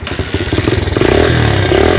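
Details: 1982 Honda XL80S single-cylinder motorcycle that sat for years, just kick-started: rapid, slightly uneven putter that grows steadier as revs rise; cold engine still warming up.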